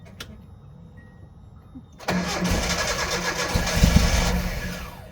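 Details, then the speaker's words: 1986 Nissan pickup farm truck after fuel pump work, gas possibly old: starter spins with an even churning rhythm about four beats a second but never fires; crank no start. "Let me give it another cycle. You know that gas might be old."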